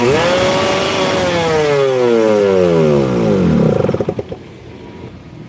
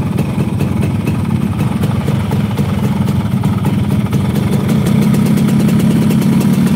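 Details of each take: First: Motorcycle hard to start, dying when throttle is blipped but fine with gentle throttle, sputters near 80, many prior workshop visits unresolved; revs up, note sags, stumbles into uneven pulses and dies; stalling when revved. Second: Motorcycle hard to start that stalls when revved, multiple unsuccessful workshop visits; steady, slightly uneven idle with low mechanical chatter, nothing standing out; engine noise judged within normal range.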